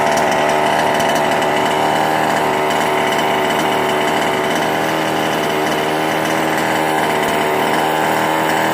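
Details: Small two-stroke with Ikilly 2 kill switch after clearing a flooded engine (carb removed, engine cleared): steady, high, buzzy drone with no sputter or stumble; running clean and even.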